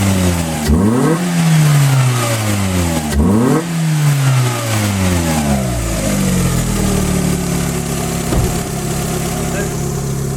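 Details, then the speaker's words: Car #92 after advancing ignition timing: revs climb and drop cleanly and repeatedly; the stumble just before 3000 rpm that existed before is gone, pulls smoothly and sounds healthy. "until right before 3000rpm it would sugar a bit and now it's completely gone and it sounds awesome"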